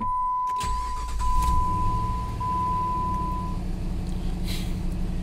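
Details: Jeep Grand Cherokee after no-crank/no-start repair (it had been cutting out and dying): engine catches right after cranking and settles into a steady low idle with a warning chime in the background; normal start.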